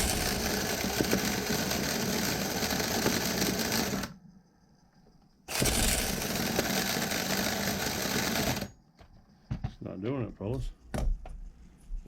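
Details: Vintage nitro RC engine (OS tagged) on the starter. Two bursts of buzzing starter spin, each a few seconds long, with no firing between them; it won't start.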